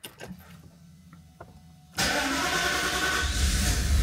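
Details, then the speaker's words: Mercedes (R129 SL500 / W124 E420): starter cranks, engine catches into lumpy, uneven idle with shaky beat, accelerates then returns to idle; misfiring, suspected bad distributor caps and rotors despite prior replacement. "all you can see I'm in the car well this is misfiring right now this is when it starts to misfiring but it it does accelerate and then goes back to idle in a decent way"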